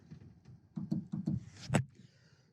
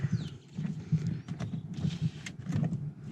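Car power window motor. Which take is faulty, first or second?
first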